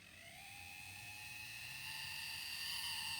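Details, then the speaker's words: Dapol Sentinel 'Molly' 0-4-0 model loco with a 5-pole motor and unusual plate pickups, on its first-ever run at slow creep speed: a loud high whine with several steady tones rising slightly; horrendous motor and gear noise that is getting worse, and the owner hopes running it in will cure it. "Oh my word, that is the most horrendous noise. It's getting worse. It's horrendous. I can't believe what a noise is coming from such a tiny model."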